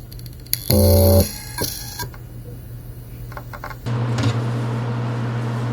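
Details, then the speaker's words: Seagate helium enterprise hard drive at power-on: short spin-up hum, then sharp repeated ticks at the end of spin-up as the heads fail to finish positioning; slightly deformed heads knocking. "第二段在硬盘启动的末端，硬盘的磁头呢还没有完成定位，有明显的反复的一个敲击的声音。"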